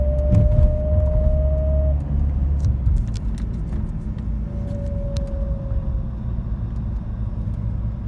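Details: BMW X3 E83 driving: a thin steady whine over road rumble, starting around 45 km/h and gone by 50 km/h, speed-related only, not wind or air conditioning.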